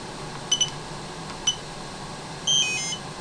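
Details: DJI Spark remote controller after a fix for not turning off and constant beeping (fix: hold flight pause button then press power): a few short high beeps then a longer double tone as it shuts down properly, normal.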